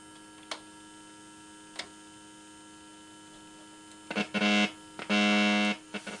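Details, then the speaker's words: Car tube radio powered on, with tubes glowing and a light on: steady low buzzing hum from the vibrator power supply with a few clicks and no audio output. "well that's a little disappointing uh we're not going to give up we're going to this car is going to have a radio in it and it's going to be tubes like it's supposed to be one way or the other you can hear it buzzing maybe you can"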